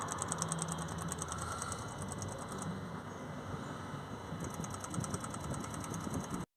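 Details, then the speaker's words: Ford Transit (mechanic repairing DPF vaporizer), engine running: faint fast even ticking in bursts from the small DPF fuel pump underneath, heard from below the vehicle; pump priming normally. "you'll hear it should be able hear a little faint ticking noise there from the fuel pump that's just down there"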